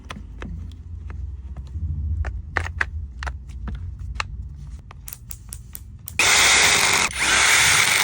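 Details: Makita TD110D impact driver, repaired after its LED came on but it would not start: scattered handling clicks, then two strong, steady bursts of motor and hammering of about a second each; normal operation after repair.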